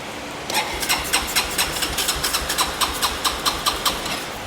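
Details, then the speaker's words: Broken Yamaha four-wheeler started off a jump box: the small engine catches with quick, even popping, about 4–5 beats a second, then fades and dies. It won't stay running; the owner suspects fuel isn't reaching the carb and switches the gas to reserve. "Turn the gas on reserve. Okay. I wonder if we're even getting fuel to the carb."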